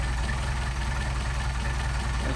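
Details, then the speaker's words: Mercedes 190SL Solex carburettors on a test engine, adjusted: a slow, steady, even idle at about 500 rpm with a smooth low rumble and no misses after the screws are turned equally on both carbs; the carbs are well balanced. "this all right this thing's idling at about 500 RPM so I think you'll find that's uh got you a nice set"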